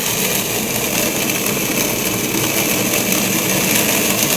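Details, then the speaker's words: Acrylic centrifugal pump trainer driven by electric motor via magnetic coupling, suction throttled to about -16 to -20 inHg: dense gravel-like crackling from vapor bubbles collapsing, i.e. cavitation. "you start to hear that sound that sounds almost like rocks going to the pipe there's no debris there's no solid material through here that solid sounding sound is really the collapsing of the vapor Bubbles as they go back into liquid form"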